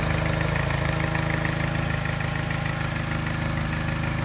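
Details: Mini: light, even tap at idle (about 200/min) that disappears above 1200 rpm, matching a slight miss the scanner doesn't detect. Causes vibration, rough idle, revs occasionally hunting and cutting out. Persists after timing chain, tensioner and piston ring replacement; timing rechecked.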